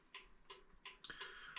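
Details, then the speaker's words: Railroad signal light converted to 12 V with a solid-state turn-signal flasher and 1156 bulb: faint sharp ticks, about three a second, in a quiet room; solid-state flasher clicking normally, louder than the silent regular flasher. "the solid state does make a little bit more noise uh you I think you can probably hear it clicking in there"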